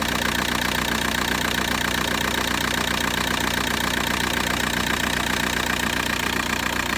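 Diesel idle with a regular knock about two and a half times a second and a shaky, uneven beat; cause not pinned down.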